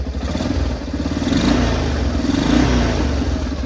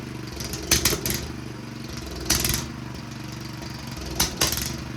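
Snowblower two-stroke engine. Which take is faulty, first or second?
second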